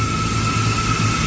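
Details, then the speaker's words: Walk-in freezer compressor started under heavy load with the evaporator fully loaded; a loud, uneven, rough throb over a hum and whine that did not quiet after 5 minutes, drawing about 12 A before tripping its internal overload. "We're going to go ahead and turn this guy on compressor started. ooh, sound rough, sounds very rough it doesn't sound good at all."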